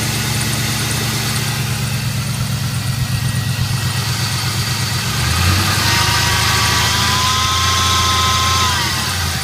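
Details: 1999 Chevrolet Camaro LS1 V8 idling low and even after a cold start at 25°F while a thin whine/hum/buzz rises, holds, then fades; cause unknown.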